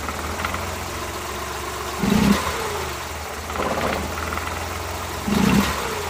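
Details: Suzuki Multicab F6A engine at steady idle broken by irregular short tak-tak stumbles every second or two: random misfire at idle.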